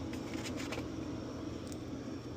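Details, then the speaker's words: Top-mount refrigerator after evaporator fan replacement, plugged back in: quiet even compressor hum with a soft steady fan drone, no ticking or scraping; running normally. "Now we'll plug it back in. Now you hear the compressor running. Fan's humming."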